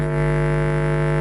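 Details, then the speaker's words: Car audio subwoofer amp playing a clipped 50 Hz test tone: steady low hum with a harsh buzzy rasp, meaning the gain was set wrong. "And then back down here to 50 hertz clipped."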